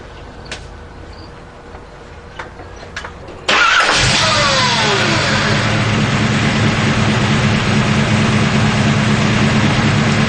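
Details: Shafiroff Racing 383 engine newly installed in a gray Camaro; starter whirs, the V8 fires and blips up, then settles into a steady lumpy idle around three pulses a second; sounds healthy.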